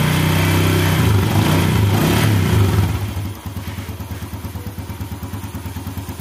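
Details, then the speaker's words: 2014 Yamaha Jupiter Z1, cold-engine rattle complaint, after cleaning the water-clogged crankcase breather hose: starts, revs briefly, settles into smooth even idle, rattle gone; noise was from the breather hose, not the clutch. "Oke halus ya teman-teman ya suara kletek-kletek ternyata suaranya yang ditimbulkan bukan dari sini bukan dari kopling ya malah dari selang ini tadi"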